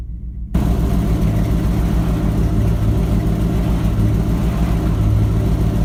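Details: Ford F-250 with 7.5L 460 big block V8, after replacing the starter bypass solenoid for a no-crank no-start: fires at once and settles into a deep, steady, even idle; starts and runs healthy.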